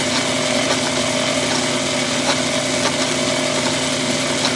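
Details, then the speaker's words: After diamond-honing the tool to a sharp edge, leaving a shiny surface: steady hum with even light cutting hiss and faint regular ticks, no chatter or squeal; normal cutting. "a few minutes with a diamond hone and makes a lot of difference on the way that thing's cutting"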